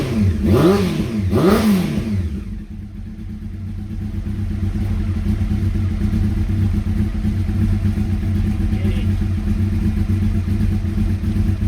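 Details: Honda CBR600F inline-four under revival, start-up via temporary starter relay and ignition switch bypass wiring, borrowed fuel tank: two sharp revs up and back down, then a steady low idle that holds even; running and revving cleanly.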